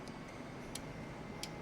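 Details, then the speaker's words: CNI 8 Relay Output Board (Modulo UR-EIO/C) bench test with +24 V: sharp separate clicks as relay one is energized and de-energized, LED one turning on; normal relay operation. "yeah I can hear that relay clicking and this led LED one is turning on"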